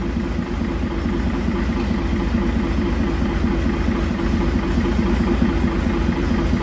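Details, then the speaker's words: International wheel loader diesel, sat 8 years, first run after pump work: heavy idle with uneven thumping about two beats a second, running rough, a little smoky; owner suspects injection timing slightly off. "it's also quite possible that I had the timing off probably no it runs but I think the timing's a little off"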